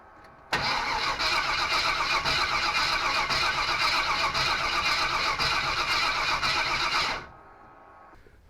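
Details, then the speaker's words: 1955 Willys wagon with small-block Chevy 350 from a '46 Chevy, first start attempt: even cranking about four compressions a second, never fires; third new fuel pump not pushing fuel up to the carburetor, cause unconfirmed. "I guess you do not get what you pay for these days. It's just not pushing the fuel up to the carburetor for some reason."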